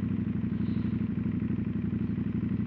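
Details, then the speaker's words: CFMOTO 800NK motorcycle: a loud, steady, quick-pulsing twin engine note with slight mechanical clatter. The rider is unsure whether the loudness is a fault but thinks it is probably normal; he also feels something loose vibrating on the bike. "aku tak tahulah ada something wrong dengan bunyi enjin ke apa ke kan. Tak tahulah, bunyi dia macam kuat sangat."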